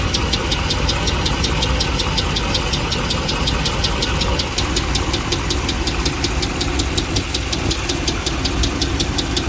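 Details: 2009 Dodge Ram 5.7L Hemi with a failed lifter on cylinder 3, codes P0340/P0303 misfire, slow to start, good oil pressure, metal bit on the dipstick, tick seeming to come from the engine's center: a sharp regular tick about four per second over a rough V8 idle.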